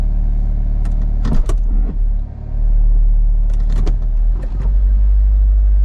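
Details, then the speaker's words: Honda Civic Del Sol, after a long-dead battery, in drive: steady even hum at about 1,500 rpm with a few brief clunks. High idle; owner suspects the computer is relearning after battery loss. "Much better. Much better. Still idling a little higher than it should be."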